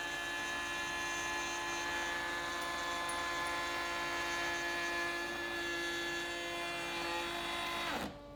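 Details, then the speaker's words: AEG MF 1400 KE router (same as Ridgid R2930), after replacing worn bearings: heavy single-pass raised panel cut in very hard wood; high steady whine, then abrupt drop as overload protection shuts it off; it restarted normally. "and that was too much it just shut itself off to protect itself which is good"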